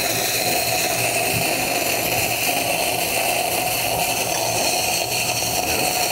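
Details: New Rocket Espresso Stone espresso machine, just unpacked, first flush through group: steady, even pump hum with constant whine, no surging or rattling; pump running normally.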